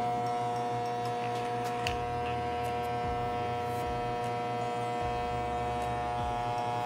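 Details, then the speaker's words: Hair clipper after repair of the cord ground connection that made it cut out when the cable moved: a steady, even electric buzz with no stutter or cut-outs across the whole run; the motor is running normally. "question about our hair clipper it's in perfect condition let's try it with my hair"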